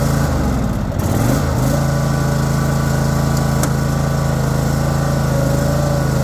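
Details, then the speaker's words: Troy-Bilt Mustang XP zero-turn mower engine stumbles unevenly for a second on start, then settles into a steady even run; hard starting, cause unconfirmed, possibly bad battery cable connection. "did have a little bit of problem starting when I don't think it's any of the above honestly."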